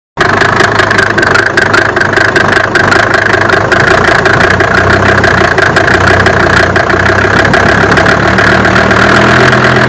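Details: Mercedes OM605 diesel at idle: a steady clatter with a sharp ticking knock repeating a couple of times a second over the rumble; engine knock, cause unknown.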